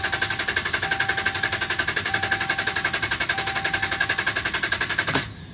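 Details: 2011 Dodge Ram, about 75K miles: steady rhythmic cranking about four strokes a second for five seconds, never catches; crank no start, dealer found defective TIPM (Totally Integrated Power Module), replaced under warranty.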